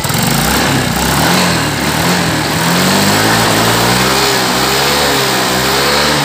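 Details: Yamaha Mio M3 scooter after repair of a noisy, rough head, where worn, seized valve rocker/roller and camshaft parts were replaced. The engine revs up cleanly and settles, pitch rising and falling smoothly with no head clatter. Normal running.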